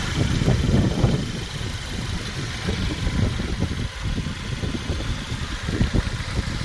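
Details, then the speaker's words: Mercedes-Benz C250 W204 after timing chain replacement and power steering fluid top-up: low, steady idle with no rattle or chain slap; normal idle. "Alright, good news, this car started first go."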